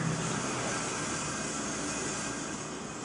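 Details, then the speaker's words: Filling an empty oxygen bottle from the 600 psi cascade bottle, valve cracked slowly to a 300–600 psi-per-minute rate: steady, even rushing hiss of gas flow easing off slightly; normal controlled fill. "You just want to crack it to where you start hearing it. Flow air. So I can hear it."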